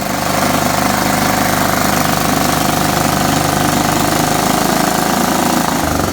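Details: Riding mower single-cylinder engine after freeing a stuck carburetor float and fitting a new battery, fresh oil and filters: steady even buzz with no stumbling; runs healthy.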